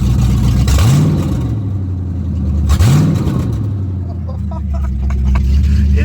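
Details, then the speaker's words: Mustang GT running again after rear 8.8 axle rebuild (disintegrated mini spool replaced), open headers with no mufflers, check engine light on; two sharp throttle blips to a loud, deep, raspy idle, sounding rough. "like I said it's it's open headers so it's not going to sound good probably get a check engine light"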